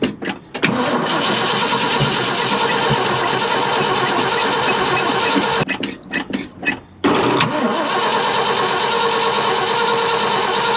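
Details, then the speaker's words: 1972 Ford F-250 after sitting about 14 years, fuel line reconnected and fuel now reaching the carburetor: long bursts of even cranking, about three beats a second, with pauses between tries, never catching. Cranks but won't fire. Cause not confirmed. "got fuel in the carburetor now so it's a good sign now i'm gonna crank a little bit more see if we can't get it to fire up at all"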